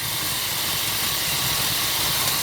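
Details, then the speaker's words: 1970s Pontiac Phoenix V8 sitting 20+ years, cold start with bad spark plugs and a plug wire possibly loose, warming up: loud steady hiss over a soft lumpy idle, a huge vacuum leak, later found to be a stuck-open PCV valve. "we have a vacuum like somewhere that's pretty horrendous where is that at"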